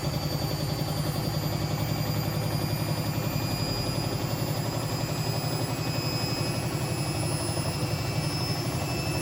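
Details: Hotpoint BHWMXL145 washer on a test spin. A loose, uneven thumping and rattle, about three or four times a second, sits over the motor hum. Two drum spider arms are snapped, not the bearings as originally claimed, and the drum is cracked at the back.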